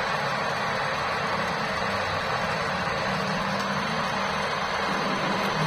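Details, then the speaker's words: Suzuki Ignis at idle, heard from under the front of the car, same cold or hot, AC blowing less cold: steady rough drone with a low hum underneath, coming from the AC compressor. "nampak jelas suara yang timbul berasal dari kompresor AC ya karena memang untuk sebelumnya kota customer dengan gejala yang muncul yaitu AC terasa kurang dingin lalu kemudian timbul suara seperti ini"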